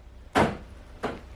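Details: Door lock actuator commanded through a bidirectional OBD2 scanner: two crisp clunks about 0.7 seconds apart, lock then unlock, clean and quick; actuator responding normally.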